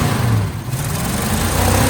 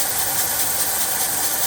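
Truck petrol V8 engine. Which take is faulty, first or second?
second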